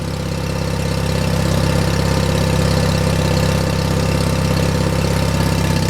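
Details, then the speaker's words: John Deere 316 lawn tractor engine in about 36°F cold: low, chugging idle at a steady beat with some unevenness, holding idle only on choke; owner suspects a clogged carburetor idle circuit. "I'd say the idle circuit Jacks Clos is probably messed up cuz I shouldn't have to be choking it doesn't sound too bad now this is where it should be see if I can take that choke"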